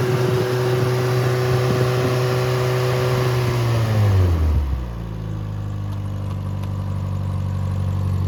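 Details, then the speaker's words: Rebuilt Triumph Spitfire 1500 engine (FM125586UE), crank turned, compression 190–210 psi, oil pressure 80 psi cold, ≥47 psi hot. With no muffler it is held at high revs, then drops cleanly to a steady idle, with light fuel pump ticking. Normal healthy running. "The clicking noise is the fuel pump, and does not have a muffler, so it is a little bit loud."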